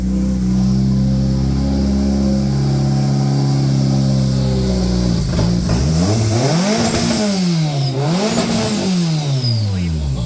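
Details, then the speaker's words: Budget Honda K24 AWD turbo build, started after fitting a 255 fuel pump and regulator: smooth idle, then several clean, quick revs that rise and fall crisply with no misfire or knock. Normal revving; about 7 psi boost is mentioned. "Oh man, let's go! Oh, she sounds good."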